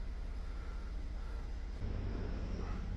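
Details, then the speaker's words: 2014 Ford 3.5L EcoBoost, 145,000 miles, first start after timing component replacement: even idle with light steady injector tick, no knocks or misses, no DTCs; running smooth, repair successful. "She seems to be running pretty smooth. Other than I can hear the fuel injectors and everything else going off."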